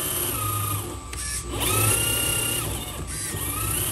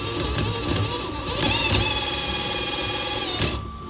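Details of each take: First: HB R1001 Ford Bronco RC crawler, after fix: shift servo linkage lengthened two turns. Whining electric drive rises and falls with throttle in smooth, even runs, with no clicking or grinding. Gearbox running healthy. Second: HB R1001-series RC Ford Bronco gearbox after cleaning: high motor whine with irregular gritty chatter, about four a second, as the gear half meshes; shifter not pushing far enough forward, needs adjustment.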